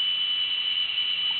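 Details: Old small-capacity IDE hard drive in an external enclosure spinning up and seeking: a constant shrill whistle with no rhythm underneath. The drive is squealing, and the owner suspects it is nearly dead.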